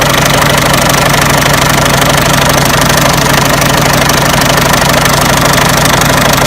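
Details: Peugeot 307 1.6 90 hp engine at idle: steady, fairly even knocking about three per second; owner asks where the engine knock comes from, source unknown.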